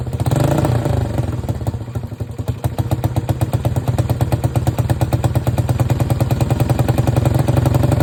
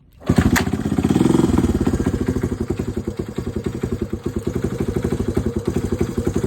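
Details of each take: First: Honda CT Trail 90 after a new spark plug, charged battery, new fuel lines, reattached coil boot, cleaned carb jets and fresh gas: small revs chug, then slowly wind down. High idle because the sticky throttle slide stays open and the carb needs tuning. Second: Honda CT90 Trail 90 after an air leak found with starting fluid and a paper gasket fitted: single cylinder settles into an even thumping idle after a brief rev, running smoother.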